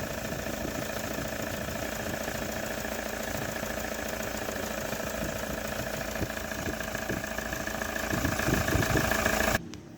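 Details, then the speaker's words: Toyota Hilux 3.0 diesel after repair of a loud noise on morning start-up: replaced loose water pump, leaking camshaft seal and accessory belt. Now a steady, even diesel clatter at idle with the fan and air conditioning running, no knocks or misses. Normal idle. "bom então já está funcionando essa bruta e E aí o funcionando bonitinho é E aí E aí E aí e o ar condicionado também tá funcionando obrigação"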